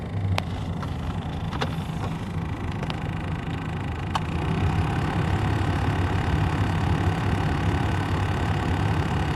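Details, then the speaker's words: 1997 Vectra B interior blower fan: soft, uneven flicking and scraping over the steady fan hum when switched on; a leaf caught in the blower wheel is making the noise. "no ventilador interno do vectra está pra escutar quando liga faz um barulhinho não tivesse alguma coisa pegando na ventoinha"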